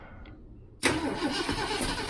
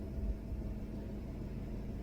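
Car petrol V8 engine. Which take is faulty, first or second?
first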